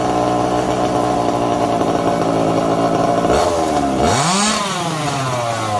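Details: Second-hand 1/5-scale RC Baja, small two-stroke: buzzy steady run, sharp blips up and clean drop back; engine responds well; normal running.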